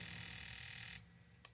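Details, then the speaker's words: Fuel injector on a Thikpo injector tester, pulse setting: high fast buzz for about a second then cuts off with faint clicks; injector pulsing normally. "three. Really fast, but it's short. Then you go to four and it'll just run until you click it again to go off."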